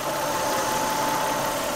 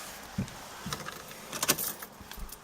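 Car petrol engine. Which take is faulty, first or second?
second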